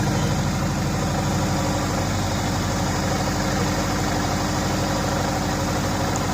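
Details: Steady, even idle with a regular low pulse and light ticking on top, no knock or misfire, on a 2004 Subaru Impreza RS at its first start in months, after engine reassembly with a JB Weld repair for coolant burning.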